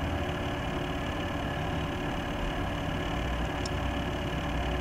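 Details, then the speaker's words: Corsair H100 water-cooling pump at slowest setting, with eight quiet fans and new power supply: steady droning hum with faint whine, louder than all fans combined; fixed by Corsair replacing the whole unit. "noise you hear is entirely hello from the pump they're eight fans running while you here's the part many things going to turn the pump now from the slowest setting the machine is a Bible the pump is quite loud louder than a the family's route really louder than all the fans combined"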